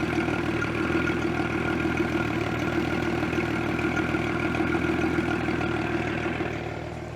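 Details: 1973 Cobalt boat with a 165 hp Mercruiser inboard, at fire-up: a steady, even idle rumble with no knocks or misses; the engine sounds healthy.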